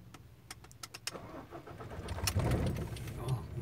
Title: ford ranger 2013 engine won't start